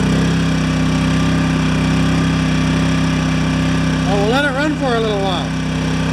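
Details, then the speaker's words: Yamaha 1000-watt generator after reaming carb jets up a small step and new gaskets, fixing idle surging: steady even drone holding one pitch at maximum load with no hunting or surging; normal running under load. "this is maximum load"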